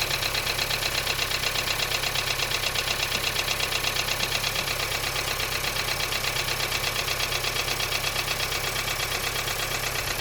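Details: 1.5 TSI petrol engine at cold start idle: steady sharp knock repeating about three times a second; cause unknown.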